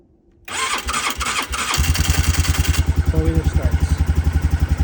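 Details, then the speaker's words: 2006 Polaris Sportsman 500 ATV with a new working PDM: fuel pump whirs, then the engine catches into a steady, even single-cylinder idle thump; clean normal start. "Fuel pump kicks on. Four-wheeler starts up. Nice."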